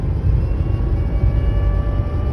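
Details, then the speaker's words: Supercharged car pulling hard after a transmission fluid change and added cooler, fluid temperature 86 degrees; faint steady supercharger whine over the exhaust roar, now shifting perfectly; normal, healthy blower whine. "Oh, you hear that supercharger whine, boy. Oh my gosh, this thing is nice now."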